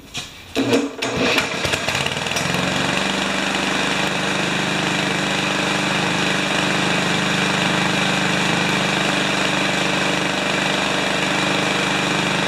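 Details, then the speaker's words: Remington mower with Powermore engine, after rough start: steady, busy run with a dry metallic rattle throughout; owner wonders if the ignition coil sits too close to the flywheel and re-gaps it, source unconfirmed. "still making kind of that sign saying i wonder if it's something silly like the coil is too close to the"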